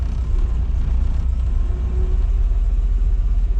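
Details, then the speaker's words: 1999 VW Golf MK4 2.0, jump-started, codes P0300/P0302/P0304: deep rumble falters and sags on light throttle, idles smooth off the gas; caused by bad mass air flow sensor. "But anytime I try and give it gas, it stumbles. Then when I get off the gas, it wants to idle smooth."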